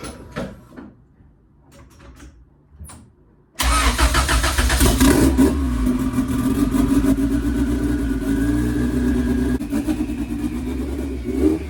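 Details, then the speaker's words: 1993 Honda Civic with fully built sleeved turbo B18 and 6266 turbo, first start after turbo reinstall and oil change: engine catches at once and settles into a steady, even idle with no knocks. "Car runs great. Idle's perfect. Perfect oil pressure."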